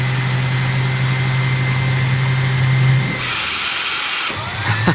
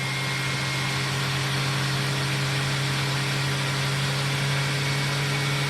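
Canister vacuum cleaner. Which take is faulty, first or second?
first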